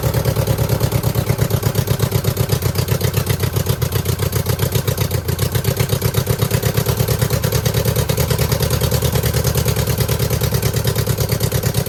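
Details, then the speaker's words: 2009 Subaru Forester X EJ253 with remanufactured OEM heads, third start after refitting intake hoses, no smoke: uneven idle with lumpy, stumbling beats about four a second; cylinder misfire, owner suspects cylinder 2, possibly water in block from a cracked head. "I mean, we definitely still have a miss, but it's not smoking."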